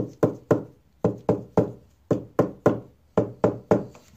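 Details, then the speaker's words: Tap test on an acoustic guitar top over a reglued brace: clean, dry knocks in small groups that die away quickly with no buzz or rattle; brace solidly glued. "let me let you hear what it's gonna sound like right up here on the fixed one that's solid you don't really get any kind of noise"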